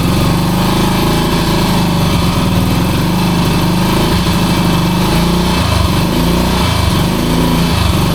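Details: 1966 Honda C200 motorcycle engine, off the road since 1972, running on full choke: loud, uneven buzz with a wavering, faltering firing beat. It runs but rough, and the owner suspects petrol is not getting through.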